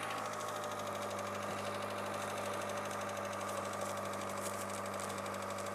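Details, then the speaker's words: 2000 Mitsubishi Lancer, 1.8 4G93 GDI petrol, 150,000+ km, cold idle before Suprotec additive: fast, light ticking riding over the steady hum; owner says it knocks both cold and hot; hydraulic lifter tick at cold idle. "вы убедитесь что он стучит как на холодную так и на горячую стучит"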